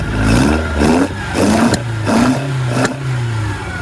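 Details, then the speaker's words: Lotus Elan, first start after 3 years off the road, distributor turned a few degrees clockwise: four uneven rev blips with sharp pops and bangs, missing now and then; no power above about 2,000 rpm when driven, cause not yet found. "popping and banging a bit but it quite freely uh St through when you actually drive it um it's got no power"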